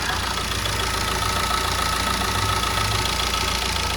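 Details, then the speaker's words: Chevrolet Enjoy diesel after major work (timing kit replacement, belt tension corrected, EGR and manifold cleaned) to fix a pulling problem: steady, even idle with a faint high whine, no belt noise or knocking. The earlier noise is gone and it runs quiet and smooth. "വണ്ടി ഇപ്പോൾ റണ്ണിങ്ങിലാണ്. നമുക്ക് sound ഒട്ടും തന്നെ feel ചെയ്യുന്നില്ല, പക്ക സൈലൻ്റാണ് വണ്ടി."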